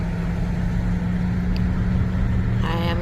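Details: 2003 Cadillac DeVille Northstar, 169k miles, idling smoothly and evenly with no stumble or skipped beats after the old ignition coils were replaced. It had misfired on and off for years and used to miss about every second at stops.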